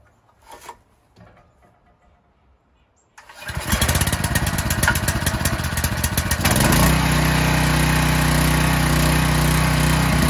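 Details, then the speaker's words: Husky 3750-watt generator unused for 10 years, choked, freshly fueled: one pull and it catches instantly, settling into a loud, steady, even run and producing power; normal start. "i was kind of surprised that started on the first pull but glad to see it fired right up and it did produce power"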